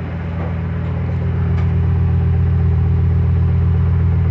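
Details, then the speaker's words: Freshly rebuilt, fully updated 2007 Ford 5.4L 3V V8 after first start, owned three years, warming toward operating temperature; steady even idle, smooth firing, no ticks or knocks; sounds like when first bought, healthy. "can tell you that sounds good sounds real good sounds like it did when i first bought it i like it"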